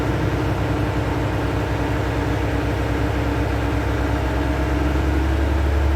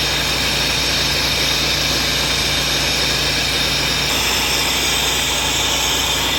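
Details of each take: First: Volvo truck after air dryer leak repair, started up at idle: steady low diesel throb, even firing, no escaping-air hiss; air system charging normally toward green. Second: Volvo truck, disconnected at workshop, diesel idling: loud, constant high hiss, air dryer leaking completely so pressure won't build until it stops; owner plans to strip it to check for dirt or failed parts.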